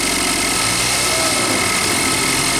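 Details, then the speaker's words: Range Rover Evoque 2.0 Ford direct-injection turbo engine; fast metallic clatter rising with revs as it's blipped, cam phaser (VVT) pulleys knocking, felt by hand on the engine; a chronic fault on this line. "Se você colocar a mão bem aqui, ó, você sente ela batendo, ó. Sente as polias batendo."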